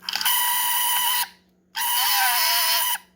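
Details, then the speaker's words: Bradley Big Bird alarm clock model 4081 (1977), talking sound box in alarm mode: two harsh buzzy one-second bursts instead of clear speech, because needle/speaker tension metal piece is misadjusted between its tabs; fixed by adjusting the tension screw. "So you need that metal piece tensioned down between those two tabs, so you can adjust the playback speed."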